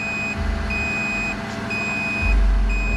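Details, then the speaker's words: Bluetti AC200P power station running two loads for 30–40 minutes, battery at 79%, switched to the higher setting: steady high beeps about a second long repeat over a low hum; overload fault alarm, unit stays on. "Okay, so it's beeping. Overload. Okay, overload, but it's still on."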